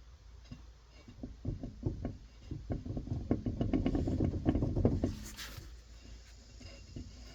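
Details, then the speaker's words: Subaru Crosstrek with a close-up microphone at a rear wheel: repeated dull knocks a few per second, rising and fading as the wheel turns. The rear wheel bearings are totally gone, and the car felt unsafe at 60 mph. "You hear that? Like, tuk, tuk, tuk, tuk, tuk, tuk. The bearings are totally gone."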